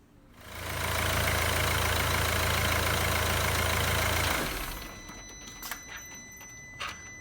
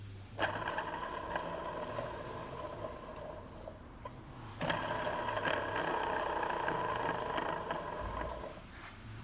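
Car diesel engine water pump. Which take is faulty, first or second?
second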